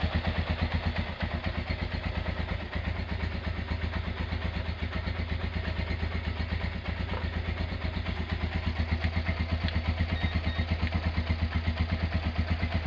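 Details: Honda GL100 single-cylinder engine, year uncertain, possibly 2000–2002, after full rebuild with Aspira piston and rings, CDI ignition, valve clearance 0.10; even steady idle about three beats a second, no tapping or rattle, clean and healthy.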